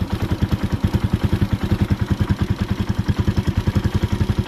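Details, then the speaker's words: Motorcycle idle screw deliberately turned up too far on a warm engine: fast, even putter far quicker than a settled idle, as if revving on; idle set too high, to be reduced. "di ba? Pag ganyan naman na yung idle mo, hindi naman maayos pag ganyan. Okay? Parang didiretso na siya."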